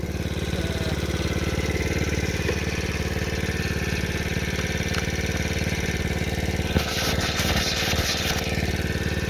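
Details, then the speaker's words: $200 marketplace small dirt bike/moped on its first test drive, which runs and drives well: even, steady low putter at about four beats a second, no misses or knocks; normal idle. "Yeah, it runs and drives pretty good. I wanna try it."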